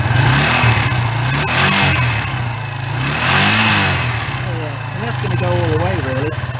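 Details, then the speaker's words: 1994 Suzuki GN125 after clearing a blocked carburettor main jet that had capped it at 2,000–3,000 rpm: revs rise and fall cleanly, climbing freely to high revs with no flat spot or cutout; normal free revving. "that's going all the way so that's what it was that was that block main jet"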